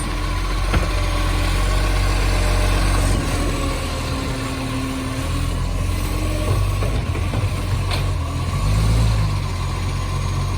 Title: City of Joondalup green waste with the roaring SL070 (massive exhaust leak)